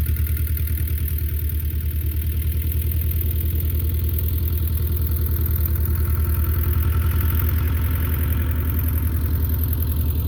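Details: Belarus 250 tractor, 2-cylinder air-cooled diesel, sat for years, running again; steady even chug about 3.5 beats per second, no misses; normal idle after repair.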